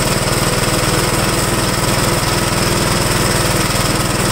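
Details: 1969 Gravely with no governor, started with starter strap, choke and half throttle: loud single-cylinder thump at about four beats per second, steady and even; running normally.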